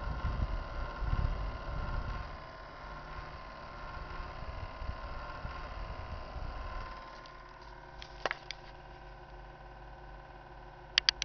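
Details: Computer PSU: steady high-pitched hum with a low rumble that drops away; noise lasted about an hour then stopped, owner worried about overheating.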